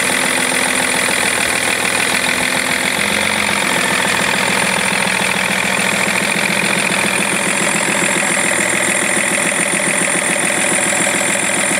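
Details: BMW E46 330d diesel idling with a steady fast clicking of about four ticks per second; engine clicking noise.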